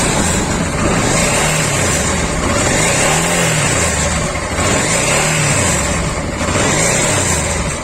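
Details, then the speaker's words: Honda Africa Twin RD07 restarted after a part was tightened: engine runs with a whirring note that swells and fades about every two seconds; the noise remains, possibly timing related, source unconfirmed. "Et je vais redémarrer voir si ça... Il y a toujours le bruit."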